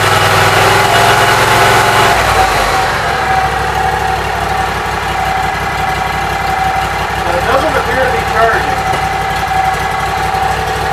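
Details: Briggs Vanguard engine with newly redone wiring, choke on, just started: catches and settles into smooth, even idle with steady hum, no misses, knocks or rattles.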